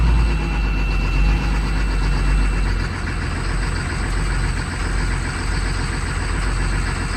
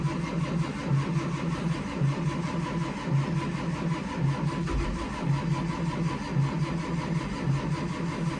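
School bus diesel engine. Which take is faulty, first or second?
second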